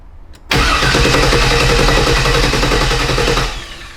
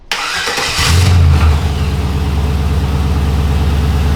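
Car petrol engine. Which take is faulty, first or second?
first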